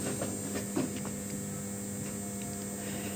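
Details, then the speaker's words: Aprilia RS660 during an ECU remap, ignition on with hazards and warning lights active: steady low electrical buzz with a thin high whine from the charger maintaining power to the ECU and bike, normal. "Yeah, the loud buzzing sound you can hear, I don't know if you can hear it, it's the charger just maintaining power to the DCU and the bike."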